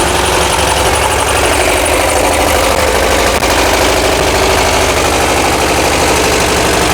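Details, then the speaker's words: 1982 VW Vanagon after a fuel injection delete and single 38mm carb conversion: an uneven idle with a sharp, high-pitched pop pop from a front-side cylinder misfiring; owner suspects a valve hanging open that needs adjusting. "that was me I don't know if you can hear the popping you probably can we have a cylinder on the front side that is not happy um that's that high pit pop pop pop so valve issue maybe out of hanging sticking open to to adjusted"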